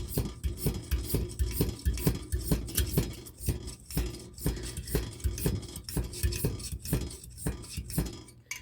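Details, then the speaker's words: Rhythmic pump strokes, about two a second, each with a clicking, clinking note. An Albert Lea Foundry Tourist camp stove's old-style hand pump is working normally after a repair, pressurizing the tank with about 20 strokes. "The nice thing about these old style pumps is you can disassemble them and take care of that just with no special tools or anything. All right, put some more pumps in it."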